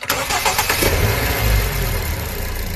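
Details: Car after power steering pump rebuild with all four seals replaced, fixing a humming noise at startup: it cranks, catches quickly and settles into a smooth, even idle with no hum or whine from the pump.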